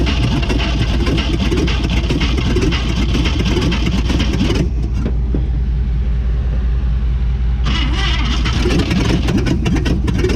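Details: 1959 AMC Rambler Ambassador V8 parked 39 years, with three very low-compression cylinders (sticky valves or rings suspected), running on a little fuel: a loud, lumpy, uneven rumble. Rough running from low compression.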